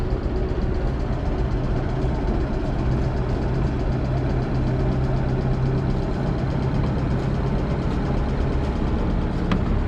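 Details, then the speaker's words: Restored inboard engine on a 1978 Islander Bahama, just started with slight choke and throttle, cooling water exiting the transom: steady even low rumble, no stumbles or knocking; normal idle. "you can see the exhaust water exiting the transom so that tells me that the engine is processing cooling water as it enters the boat"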